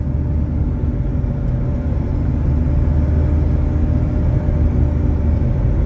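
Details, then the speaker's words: Chevrolet S10 while driving, also with a cracked exhaust manifold: loud rough steady low roar without knock, front hub bearing nearly seizing and locking the steering; front wheel bearing roar. "Conseguiu ouvir rolamento do cubo dianteiro está praticamente travando o volante aqui tá rostinho"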